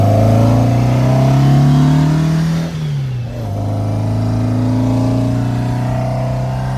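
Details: 1957 VW Oval ragtop flat-four after swapping Weber 44 carbs for 40s, while driving: clean, even pull rising smoothly, a brief dip at the shift, then steady under load. Running healthy with no misfire.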